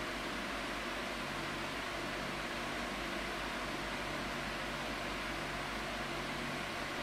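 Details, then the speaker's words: 2002 Midea 16" oscillating pedestal fan with mesh grilles, before cleaning and restoration, on medium speed: a steady, even rush of air with a faint low motor hum and no ticks or rattles. Normal smooth running, though airflow is somewhat weaker than expected. "it's a little step up from low um in terms of airflow I think it's moving enough air to a point where I would say it's it's in the realm of powerful but I expected a little bit more from it"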